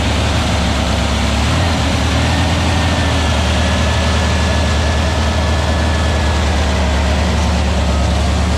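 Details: Aaron's new VW Beetle 1679cc single-port engine, Scat C25 cam, dual Empi ITC carbs, first fire-up at fast idle during 20-minute cam break-in; steady even fast idle, smooth low drone, no knocks or ticks. Normal running; carbs still need tuning.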